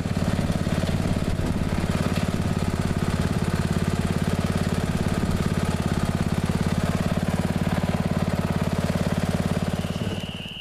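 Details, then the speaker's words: Neglected riding mower revived after spindle repair with grade-eight hardware and blades refitted: steady, regular thump at even speed with a firm low drone, no misses or surging; running well and mowing evenly. "it seems to be running good and mowing good it mows evenly"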